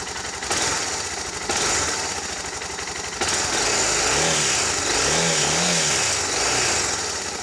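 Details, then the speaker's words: Suzuki DR650 single-cylinder motorcycle on stock exhaust, warming up before oil and filter change and exhaust swap: steady slightly loping thump at idle, no knocks or rattles; normal idle. "Alright, we'll start her up. Starts easy."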